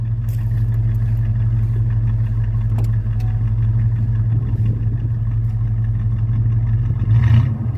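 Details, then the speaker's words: 1986 Mustang with a tired V8 from an 88 T-Bird, dyno tuned to 130 wheel hp: deep steady burble with one brief rev blip, no knocks; normal idle and revving. "can hear that, and it sounds bitchin'."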